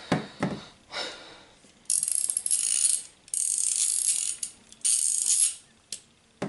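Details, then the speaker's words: Quarter-inch drive pawl-type ratchet with a dry internal mechanism and poor maintenance: fast, raspy, gritty clicking over several swings. It is a dry, unlubricated pawl needing cleaning and grease. "I don't maintain this as well as I should I know I should maintain it better but this is what it kind of sounds like"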